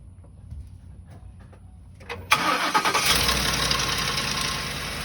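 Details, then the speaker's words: 2008 Ford Expedition started right after a serpentine belt replacement, briefly with the fan still removed; short crank, fires at once into a smooth steady idle with no belt squeal or chirp. "we're gonna start it up so please note that this initial startup that we're gonna do is is before we put the fan back on so we only wanna run it for a few seconds"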